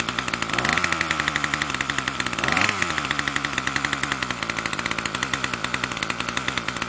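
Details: Troy-Bilt TB2MB two-stroke trimmer after a new short block is fitted, primed and choke on: fast raspy buzz that holds high and never drops to a slow idle; the throttle cable never returns fully to rest.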